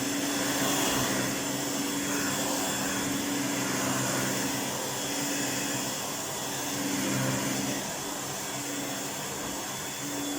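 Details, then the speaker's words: 1988 Electrolux 612 upright vacuum after full restoration with new pre-motor filter and dust bag: steady, even motor roar at constant pitch, no rattles, surging or scraping; sounds like new, normal running. "That's our 612 fully restored. I have to say, it sounds fantastic. It sounds like a new cleaner. I'm really quite surprised at how well that motor came up."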